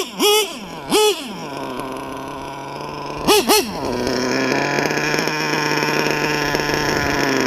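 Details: LRP .32 nitro engine with Novarossi race carb, first full-throttle run of the day: sharp piercing revs then sustained screaming high pitch; high-speed needle set slightly lean.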